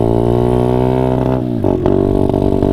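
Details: Honda CRF50 at full throttle. A high buzzing rev stumbles and stutters unevenly before picking up again; it used to reach 42. Rider suspects fueling, unsure whether more or less.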